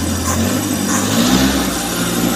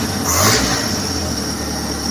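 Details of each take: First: Suzuki Futura T120SS carburetor that won't hold idle: revved above about 2000 rpm, coarse, uneven spray note with rising pitch instead of a smooth pull; carb lean on the idle (stasioner) circuit. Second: Suzuki Futura carbureted engine (T120SS) that would die at low idle: quick throttle blip, then drops back to a steady even idle without hunting or stalling after clearing small dirt from the carburetor.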